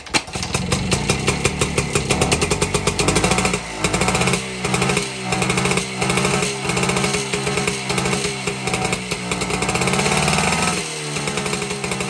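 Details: 1952 BSA D1 Bantam single-cylinder two-stroke in a test rig, first start in over two years after tickling the carburetor; quick crisp beat rising and falling with throttle: normal running.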